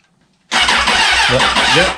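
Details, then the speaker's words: 2004 Suzuki Katana, not run for over a year, unplugged and possibly broken clutch safety switch bypassed by jumping wires: starter cranks engine in an even whir, pulsing about five times a second without firing; starter circuit works. "so what we're going to do is jump the two together to bypass it and see if we can have a crank"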